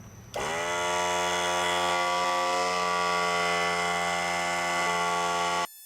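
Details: Central Pneumatic 95275 oil-less 3-gallon 100 PSI pancake compressor, bought non-working and later pumping up, running without its shroud on a cool day: starts cleanly into an even, steady motor drone holding pitch, then stops; reached 80 PSI.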